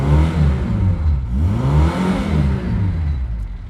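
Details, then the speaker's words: Reliant Fox engine revving on a test drive with the thermostat removed and coolant flowing through the radiator; pulls up and drops back smoothly with a crisp, rorty, even note and no knocks or misses. Normal revving. "What a rorty little engine this is becoming."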